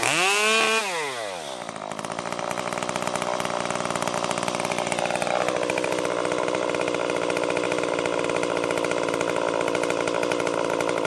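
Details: Stihl MS 194T top-handle chainsaw after muffler mod (inner baffle removed), freshly tuned, cutting red oak: screams up, drops under load and holds steady buzzing pitch through the cut without bogging; normal cutting under load.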